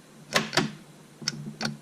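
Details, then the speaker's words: MK5 VW Jetta 2.5 L manual, starter jumped directly with remote starter in neutral; four sharp solenoid clicks with no cranking; starter motor failed from vacuum pump oil leak. "So emergency brake on, vehicle in neutral, and using the remote starter, just squeezing the trigger, and you hear it clicking"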